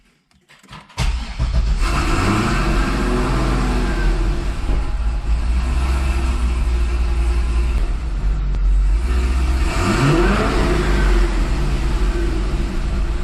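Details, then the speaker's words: 2005 Chevy Corvette C6 after fuel system work (larger ground, check valve, Racetronix harness), fuel gauge fitted: engine settles into uneven, lumpy idle with a rev blip; no fuel pressure drop, cause of rough idle not yet found. "All right, guys. So, we have the fuel gauge plugged in. We're not seeing any fuel pressure drop. The car is idling really rough though."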